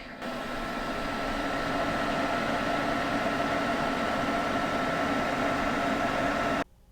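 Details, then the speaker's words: Two generic 120 mm case fans on top of a home server, about a year and a half old: loud, steady airy roar with a faint whistle, then dropping to near silence; cheap, worn fans, to be replaced with Noctua Redux fans. "on top here we have two generic uh case fans that came with them they are 120 mil case fans and they're at 50 right now when these babies crank up to a hundred percent they are really really loud"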